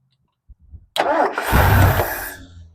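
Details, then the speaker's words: 1969 Lincoln Continental off the road about 50 years: cranks and catches, roars briefly while throttle is fed through stiff linkage, then revs sag and it dies within a second or two as soon as throttle is released; stalls after start. "Yep. Soon as I let go, that thing is uh not wanting to run. As soon as I let go of that."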